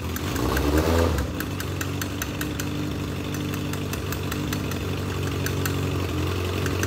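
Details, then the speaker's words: Legends race car after a motor swap, first runs: lumpy, irregular idle with misses; the carburetor is flooding with fuel, suspected from too much fuel pump pressure where only a two-pound pump is specified, so the carburetor is coming off. "carburetor is just absolutely flooding all the gas so it's only supposed to have a two pound pump"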